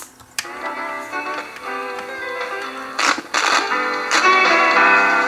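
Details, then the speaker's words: Old Sanyo M7015 boombox cassette playing after long storage: tape music wavers in pitch once per belt revolution; wow and flutter from a flat-spotted drive belt, belt replacement planned. "if you hear the Wow and flutter from this thing because it's been sitting so long the belt has got a flat spot and can hear it every time the belt we can see the belt moving"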